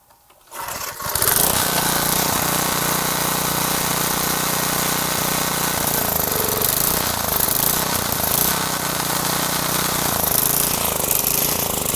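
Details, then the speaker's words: Garage-sale gas edger with carburetor cleaned and refitted, choke on: catches after a short pull and settles into an even, steady buzz after the fuel-air mixture screw, found fully in, was backed out; still needs fine tuning. "All right, she's running. Whew. Took a little while. That fuel air mixture screw, it was just all the way in. So I backed that out."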